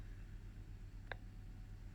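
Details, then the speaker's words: Ninja electric pressure cooker on high pressure, 45 minutes, with cold water: single sharp click over faint hum while building up pressure, normal. "So it's building up the pressure now. I think that's what it's telling us now. You can hear it clicking as well."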